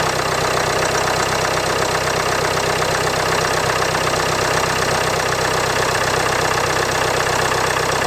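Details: Normal cold-start idle of a model year 2016 Land Rover Discovery Sport Ingenium D180 2.0L diesel, ambient below 10C: steady even diesel clatter, no chain rattle; little difference heard before versus after timing chain replacement.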